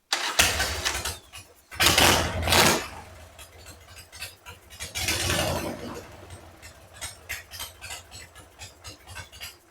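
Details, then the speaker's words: 2002 Harley-Davidson Sportster 1200 after air/fuel mixture screw replacement, screw set about two turns out: after bursts of starting and revving, an uneven, loping V-twin idle keeps running, now idling normally. "Okay. Anyway, back up, running, idling."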